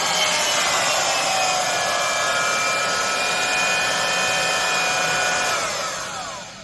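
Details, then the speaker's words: Craftsman (Skil-built) 14 A 1680 W router after fixing bearings left without pretension by a defective silicone washer: steady high whine, no rumble, vibration or squirrel sound at switch-off, winds down cleanly; sounds much better, normal running. "Anyway, certainly does sound a lot better."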